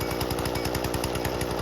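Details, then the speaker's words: Husqvarna 120 Mark II two-stroke chainsaw, carburetor tuning: fast even buzz at raised idle with rapid steady rattle; idle screw turned in until the chain just starts creeping, before low-jet adjustment. "turn it in so that our chain our idle picks up and our chain just starts turning a little bit like that now what that'll do is just it'll keep your saw high idle"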